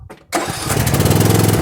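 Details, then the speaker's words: Tractor unused for at least a month, jump-started from a Hulkman Alpha 85 jump starter: short crank, then it catches at once and settles into a steady, even chug with no misses; it started right up. "And the thing started right up. And it's beeping again to tell me to take those cables off, which is a good warning."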